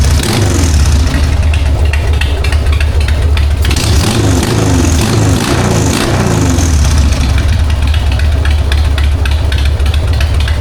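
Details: 1999 Harley-Davidson Sportster 1200, S&S Super E carb, started in neutral with choke after accelerator pump clean and replacement (it had sputtered): lopes at idle, revs cleanly, crisp throttle, no sputter. Normal idle and revving.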